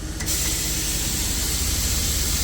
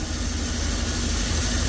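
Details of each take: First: Truck-mounted liquid tank (barrel) being unloaded by pressure from a compressor driven off the transfer case; suspension lowered to tilt the tank so product drains toward the outlet: loud steady air-suspension release hiss over low engine rumble, normal. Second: Old truck air compressor, engaged via PTO with engine running during tanker unloading, target about 1 bar: low heavy drone with uneven throbbing pulses, old compressor labouring.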